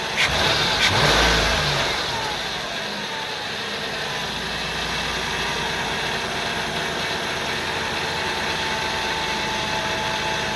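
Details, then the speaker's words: 2000 Ford Windstar SEL 3.8 V6, 204,000 miles, rebuilt motor and heads, cold start, AC off: blips up on slight throttle then uneven shaky lumpy idle worsening; no vacuum leaks or misfires found; rough running, cause unknown. "And it just gets progressively worse. You can see the wires shaking, but I can't seem to find any vacuum leaks."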